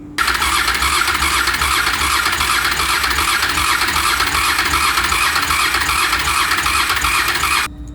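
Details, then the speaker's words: 2001 Honda VFR800Fi (5th gen) bought cheap, restoration compression test while cranking: even, brisk starter churn at steady rate; compression reading unusually high, judged very good. "let's do a psi test now yeah that's pretty good wow i've never seen it that high"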